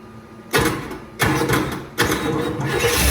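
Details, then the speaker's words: 1979 Cadillac Eldorado with an Oldsmobile 350 V8, first runs after sitting 14 years. Three loud pops back through the carburetor about two-thirds of a second apart, each fading into a rough run; cause unknown. "Not sure why it's popping through the carb. But, she definitely runs."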